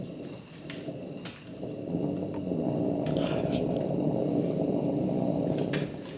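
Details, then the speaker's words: 1977 Coleman 220J dual mantle lantern, lit after restoration work (fount held pressure overnight at 200 pumps): low uneven croaking "frog noise" on startup that quiets into a steadier roar; runs fairly decently once opened up. "as you probably heard it still makes the good old frog noise when it's first starting up but as you can hear it quieted down"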